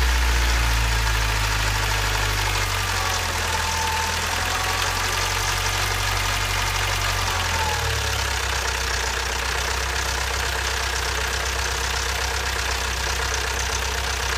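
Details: Toyota 22RE engine just after a timing chain replacement, steady idle with a fast, loud ticking clatter about four times a second, like a tractor; valve train clatter, cause unclear.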